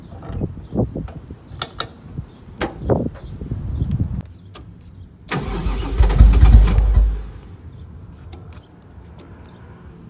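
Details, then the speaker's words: 1JZ-swapped Nissan 240SX S13: starter cranks in short bursts, engine never catches, no fuel pump hum; pump lost power after the untied trunk battery shifted. "I don't hear the fuel pump. Alright, we lost fuel pump."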